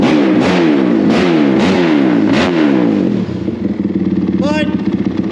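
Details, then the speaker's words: Rebuilt Honda 450R quad on first start-up, warming up on its stand: the engine snaps up and drops back in quick repeated blips, crisp even firing with no knocks; a healthy, free-revving single. "like if you sit here and watch it this thing revs crazy rpm right now"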